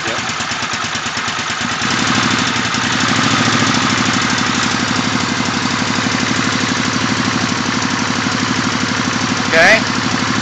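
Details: Suzuki VS800 V-twin motorcycle idling badly: uneven, stumbling, lopsided low thumping pulses instead of a steady beat.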